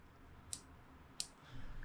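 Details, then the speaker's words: Polaris Trail Boss 250 6x6 hub electromagnet, removed and bench-powered: two crisp metallic clicks as it pulls in and releases, holding firmly; magnet engages normally, cause of earlier failure still unknown. "Okay, so now that's like locked in. That's sucked on there good. I can't peel that off now. So that's working."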